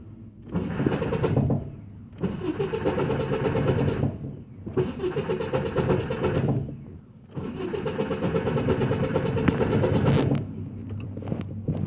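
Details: Truck at a shop, four cranking attempts: a harsh scraping grind under the starter's whir, and the engine never catches; the starter is suspected misaligned, with a fix planned by drilling so the bolt can tighten and align it.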